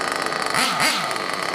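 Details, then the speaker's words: Trinity Xtech .24 nitro truggy engine, ported and turboed by Powerhouse RC Performance, first tanks of break-in on an O'Donnell 97 plug; shrill scream rising and falling cleanly through two quick throttle blips, no stumbling, an unusual sound: normal running. "oh my goodness boy I I've heard a few Nitro mtiv before but I'm just going to tell you right now this one don't sound like anything I've ever heard before"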